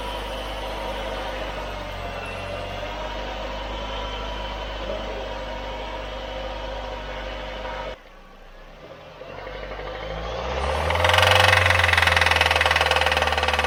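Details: 2018 Nissan Versa, 105,000 miles, oil level fine and clean, changed 1,000-1,500 miles ago: cold start with a steady, fast, nasty metallic rattle over the idle that continues as revs climb; cause being investigated.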